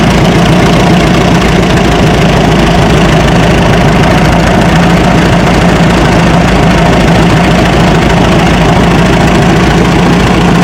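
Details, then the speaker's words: Minneapolis Moline side-valve tractor at idle, holding 25–27 psi oil pressure: a loud rough idle with a dull, steady knock and rattle. Owner suspects rod or main bearings (lower end) and finds it doesn't sound like rocker arms, but the cause is unconfirmed. "You can kind of hear it rattle a little bit. So, I'm not uh I'm not 100% that it's the rod bearings or or any of the main bearings, but that's kind of what it sounds like."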